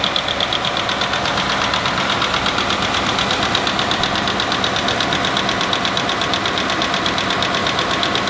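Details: 2019 Ford F-150 5.0 V8, direct-injected, idling: sharp, quick, evenly spaced metallic ticking from the top end, traced by stethoscope to the driver's side left bank; rocker/lifter failure.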